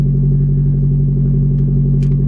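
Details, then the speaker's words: Nissan Skyline EW32, first start after sitting for months, exhaust disconnected from the mid-section all the way back: deep, booming steady idle rumble with almost no treble, far louder than stock because of the open exhaust. "oh yeah i forgot that i disconnected the whole exhaust from the mid section all the way back so that's why it sounds like that"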